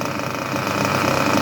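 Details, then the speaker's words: Junkyard Mutt nitro glow engine on break-in stand, first start: high, even buzzing idle with steady unwavering note, no misses or surging, responds well to the carb; normal idle. "I think she is a good runner. That is a beautiful idle. Responds well to the carb. That is lovely."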